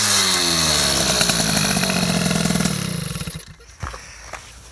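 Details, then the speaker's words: MBK 51 two-stroke scooter (Bidalot G2RR cylinder, Ninja G2 exhaust, 24 PWK carb) screams high, then drops off ragged and burbly as revs fall, with intake clacking. Running too rich at low rpm. "voit que c'est trop riche he bon le bas régime c'est sûr c'est trop riche mais le haut régime je pense qu'on peut améliorer encore"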